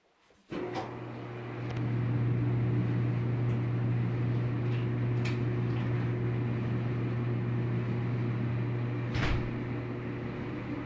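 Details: Samsung dryer after reinstalling the rollers, tensioner and belt to cure rumbling and squeaking: steady low hum with an even drum rumble and no squeal, thump or scrape; normal running.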